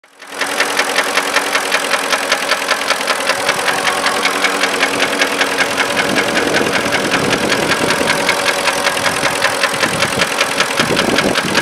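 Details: 2005 Porsche Cayenne 4.5 V8 idling: sharp, steady metallic ticking over the engine note from stuck hydraulic lifters, along with misfire faults and a camshaft position sensor error.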